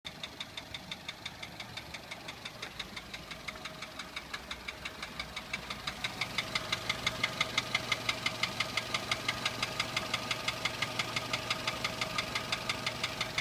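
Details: Toyota 1SZ-FE contract engine from Japan, 32,000 km, knocking began 1,200 km after installation (bearings, valve clearances fine, no debris in pan): sharp even knocks about three per second at idle, louder with revs; seized piston pin letting skirt slap cylinder.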